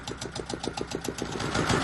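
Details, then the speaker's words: Repaired Volvo Penta 2002 fresh-water-cooled diesel from a 1987 Liberty Yachts Pied Piper 28 sailboat at about 800 rpm, not running hot: steady even clatter about seven beats a second, picking up slightly, no misfire; normal idle. "right there 800 RPM so that's good I'm doing good the Pop's water good not running hot at all"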